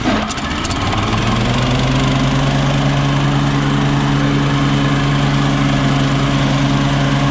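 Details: Toro Turfmaster mower that knocked with the blades engaged, after replacing the deck belt with a stretchy rubber belt: engine and spinning blades hum with a smooth, even drone and no knock.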